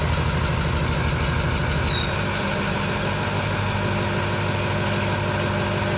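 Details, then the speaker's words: 2005 Ford F-350 6.0 Powerstroke diesel, cold start (not very cold, around 30s overnight) after adding Archoil AR9100 for suspected injector stiction: steady even idle with deep clatter, no stumbling; previously rough cold start and bucking. "you know it's not the coldest of a cold start obviously but that worked pretty damn good that surprised that it worked"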